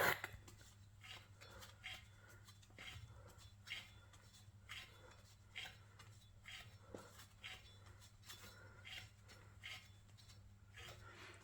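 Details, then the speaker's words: 2006 Jaguar XK X150 4.2 rear wheel bearing, original, removed from the car and spun by hand: faint gritty scratching grinding about once a second, a worn bearing; the other side may be worse. "I'll just uh spin this and you'll hear there's like a a bit of a grinding noise hear that"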